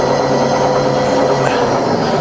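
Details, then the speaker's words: Bridgeport milling machine, variable speed head, converted to run on 240V single phase, fully rebuilt with new bearings, lead screws, nuts, pulleys and belts: X-axis variable-speed table power feed running, steady even motor hum, constant pitch, no knocking or grinding; normal. "we've got an x-axis power feed here and that's a variable variable speed system"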